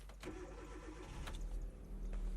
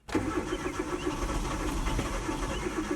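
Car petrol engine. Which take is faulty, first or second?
second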